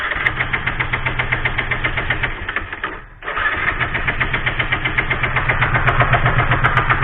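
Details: Bajaj Pulsar 135 with lost ignition, no spark; fuel checked fine. The starter churns at nearly four beats a second with a short pause but never fires. Cranks, no start.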